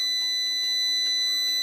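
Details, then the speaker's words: Prolink IPS 2500 UPS with three burnt IRF1407 MOSFETs and a faulty PWM IC, showing F0 protection as the PWM supply voltage drops: a loud, piercing continuous beeper tone pulses about twice a second, with no hum behind it. This is a fault alarm. "Karena tegangan suplai PWM menurun, sistem membacanya sebagai kesalahan. Oke, belnya berisik sekali,"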